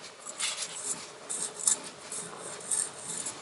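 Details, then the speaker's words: Wheel hub being turned by hand with the 5x100 to 5x112 20 mm adapter removed, during slotted Brembo rotor install; dry gritty rasp swelling and fading each turn, owner dislikes the noise and suspects a bad wheel bearing. "don't like that noise. Now, I've had issues with bad wheel bearings in the past, where when they start to go bad, this whole thing starts to roast."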